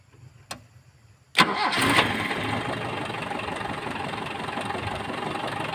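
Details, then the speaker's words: Toyota Kijang that showed indicator lights but would not crank, after cleaning battery terminals, cables and checking relay: quick crank, catches within a second, even steady idle; fault was cables, not battery or starter. "dan ternyata bukan dinamonya yang rusak atau akinya yang rusak artinya kabel-kabel masa kita periksa semua kita bersihkan kabel"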